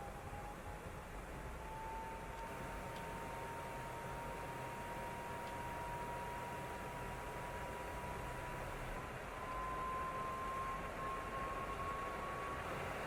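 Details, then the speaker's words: Original PlayStation 4 running the opening sequence of God of War, pushed hard by the game: the loud fan kicks in within minutes, with rushing air and a thin whine climbing as it spins up. "so with our original playstation 4 you can no doubt hear the loud fan noise kicking in within a matter of minutes playing the opening sequence for god of war"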